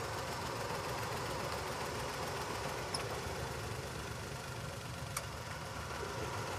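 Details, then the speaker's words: New-model Wagon R petrol engine at idle with blinking check engine light: rough, lumpy beat from cylinder 1 dead due to failed ignition coil; replacing coil is the fix. "एक cylinder इसका काम नहीं कर रहा है। इसलिए ये light भी ब्लिंक कर रही है।"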